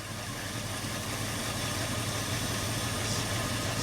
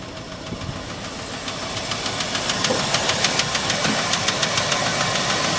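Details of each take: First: Ford F350 cherry picker truck, hard starter, first run in about a year after six minutes of priming and cranking: steady, quiet hum with an even beat and no misses, smooth healthy idle; slight valve tap noted. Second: Ford F350 cherry picker truck after a hard start: sharp, light ticking at three to four per second over the idle, growing as it settles; a valve tap, engine otherwise running well.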